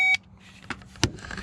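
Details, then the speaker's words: John Deere Gator 850D diesel with a no-crank fault, starter fed 12 V directly through its small lead with a power probe: short beep, then two sharp dry clicks with no cranking; no such click with the key, so the fault is upstream. "to crank but I can hear it clicking and I can hear it clicking when I feed the 12 volts right there I do not hear any clicking like that when I just turn the keys so there is another issue somewhere upstream"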